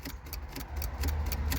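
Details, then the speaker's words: C5 Corvette Z06 project with LS3 swap, after fixing service column lock fault: key turned, sharp light relay clicks about four a second, but engine never cranks; cause not yet found. "the key still touch it nothing happens this can be a couple of things I still hear a relay down there"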